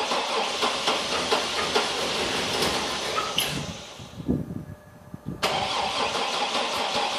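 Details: Chevrolet Trailblazer V8, 170,000 miles, cold start: repeated uneven cranking bursts that never catch or settle into idle, engine won't start; dead cylinders suspected, cause not confirmed.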